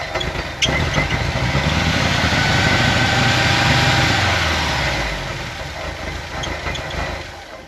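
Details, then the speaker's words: 1988 VW Vanagon after replacing engine bay coolant hoses, still spewing coolant when revved, strange smell; engine revs up and falls back unevenly with a stumbling beat under throttle; cause unconfirmed. "Doesn't sound healthy at all. Can't place what that smell is either."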